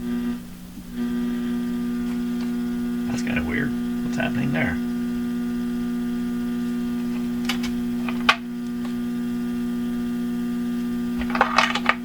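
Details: Hallicrafters TW2000 communications receiver on broadcast band B, RF mode, tuned near 590: constant low hum under the speaker output, unchanged as the dial is tuned; scope shows significant power supply ripple, but owner doubts filtering will cure the mains hum.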